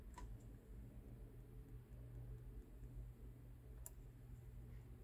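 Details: 2009 Saab 9-3 TiD 150hp manual, with P0425 EGT sensor fault and slow low-rev response, actuators commanded during diagnostic test; faint crisp clicks over a low steady hum as the actuator moves, working normally.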